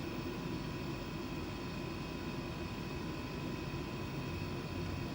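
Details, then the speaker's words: Chinese diesel heater a couple of minutes after being switched off, still blowing warm air before shutting down fully a few minutes later: steady airy rush with a faint hum, no knocks; normal cooldown blower run. "And even though I pressed off a couple minutes ago, it's still blowing warm air."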